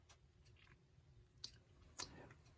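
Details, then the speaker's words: Hammond Gloria electric alarm clock, c. 1933, reassembled after repair for a noisy, non-running fault, plugged in and started: faint soft ticking with a light steady whirr; the motor runs normally. "I've got everything back together before I do anything else though I want to make sure that it's running so I have plugged in give it a start and it's"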